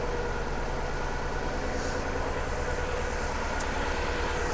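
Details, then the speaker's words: 3UZ V8 swapped into Subaru BRZ on Haltech, hot day: low uneven lumpy idle with one cylinder dropping out; misfire traced by tester to a coil not firing, before swapping in a known good coil. "So, that's telling me the coil's bad. Okay, let's swap a coil. So, that coil is not firing. That's our problem."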